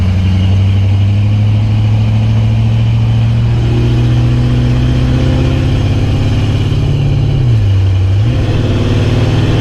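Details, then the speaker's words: 1990 Chevy K5 Blazer with no low-end torque, headers and true dual exhaust, back on the road after a stall, making a left turn: steady drone sags and stumbles, cutting out again. Persists despite new EGR, fuel pressure regulator, TPS, MAP, IAC, O2 sensor, distributor and ignition parts. "So alright, so I'm back on the road now, about to make a left turn, and you can hear it start to cut out again."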